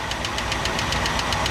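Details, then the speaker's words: 1967 Ford Galaxie 500, 289 V8 after top-end rebuild, idling while each rocker is loosened to set lash: sharp, even clacking about seven or eight ticks a second. Fix: tighten until clacking stops, then three-quarter turn more. "What I'm going to do is I'm going to set each one. So you'll hear it clack. I'll loosen it up. All right, you hear it clacking."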